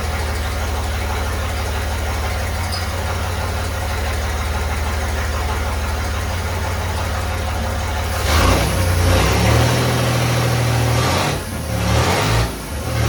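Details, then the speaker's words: Chevy 4.3L V6 swapped into a Willys CJ5, exhaust only run halfway back with no muffler. Lumpy, sluggish idle with a dull thud about four per second, then uneven revving. Retarded timing: the distributor cannot rotate far enough to advance it. "all right so my problem is I don't have enough rotation on my distributor it wants to be Advanced more than that um but I can't quite get it"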